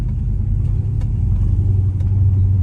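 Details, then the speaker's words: Straight-piped V8 Chrysler 300 with X-pipe, after fitting muffler/resonators to cut cabin drone, driving slowly: deep even low exhaust rumble, no ear-ringing drone on top; normal exhaust note. "Like I can still hear the exhaust, but it's not it's not ringing my ears. Normally I can feel my ears ringing, but I'm also really not going fast."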